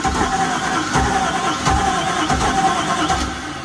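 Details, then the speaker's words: Houseboat engine cranking with starting fluid sprayed in, suspected electric fuel pump no longer buzzing; slow even cranking with a few weak puffs about every 0.7 seconds, almost catching but never running, likely fuel not getting through. "It's almost trying. Is it? It almost tried."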